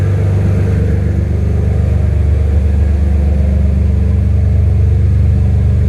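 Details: First start of a freshly swapped BMW M3 S54 engine, surge tank connection unfinished: a steady, even idle with a smooth low beat and no knocks, ticks or stumbles; oil pressure good, alternator charging, no smoke. Normal idle.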